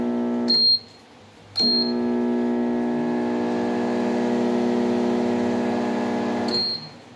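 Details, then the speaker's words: Brastemp mirrored microwave plugged in: a heavy, steady hum and beeps, but it won't heat. The fault is on the transformer's high-voltage side, a shorted magnetron. "tá roncando e não esquenta beleza"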